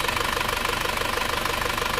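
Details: Overhauled car engine at warm idle after a 40 km test drive, 81–84 °C: even, quick pulsing of about nineteen beats a second with no irregular knocks; normal working temperature and no leaks found.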